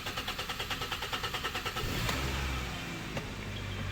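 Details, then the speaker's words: 2013 Hyundai Sonata 2.4 GDI cranking: starter churns about three beats a second for nearly two seconds before it catches, every time, and it feels down on power; long crank from low fuel rail pressure, failing high-pressure fuel pump. "okay i'm working on my 2013 hyundai sonata here today and we got a problem with the cranking it's got a really long crank before it starts"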